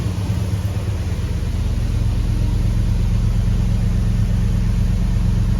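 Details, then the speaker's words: Hemi-swapped Grand Wagoneer V8 after the fix: deep, even rumble with a steady lope and no knocks or ticks as it idles down, with voltage at 0.7 and no injectors shutting off; a good, normal idle. "All right, she's idling down. Everything sounds good. We're at 0.7. That's good numbers. Sounds really good. No injectors are shutting off. That's a good idle."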